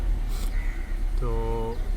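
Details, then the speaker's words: Renault Duster petrol engine after fixing cylinder 4 misfire and rough idle caused by a wire connector fitted upside down: smooth, even idle rumble with no stumble; warning light cleared and engine now picks up rpm normally. "गाड़ी start हो गई है और जो light ए रहा था stop का वह लाइट भी चला गया अभी गाड़ी का जो आरपीएम है वो भी पिकअप ले रहे हैं"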